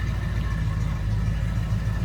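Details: 1971 Ford F100 long box, 302 V8 with automatic, heard from the rear: deep steady even rumble, no knocks or misses; healthy idle.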